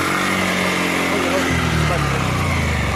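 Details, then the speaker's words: Bajaj Pulsar 150 after front sprocket replacement, running in 5th gear: no more clacking from the chain, only a faint light rattle from the old worn chain; chain knock fixed. "अब आप देखिए कि इससे खट खट की किसी प्रकार की खट खट की आवाज़ नहीं आ रही है। यह सिर्फ चैन पुराना होने के कारण थोड़ी सी जो गोटियां हैं चैन में उसकी आवाज़ आ रही है, और वह प्रॉब्लम मेरी ख़त्म हो चुकी है खट खट की वाली।"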